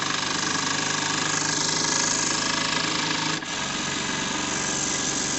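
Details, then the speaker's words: JLS 13-2 small twin-cylinder live-steam model engine run on compressed air at about 1 bar after a loose screw was fixed: fast, even hissing chuff with steady beat, no knocks or stumbles; normal running, steam test pending. "donc elle tourne superbement à l'air à des pressions très faibles je vais accélérer encore un tout petit peu un bar un bar ah elle m'a l'air bien vivante de ce sens là"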